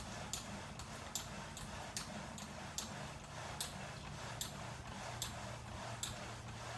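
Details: VersaClimber climbing machine, replacement unit, in use: rhythmic sharp, irregular squeak-ticks about seventy a minute in step with the climbing stroke, same squeak as the first unit; a moving joint squeaking under load.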